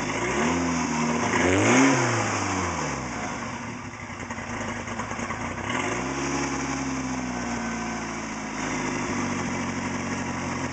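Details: Talon engine with replacement bearings fitted after a spun rod bearing: petrol engine blips up and settles back cleanly, no rod knock yet.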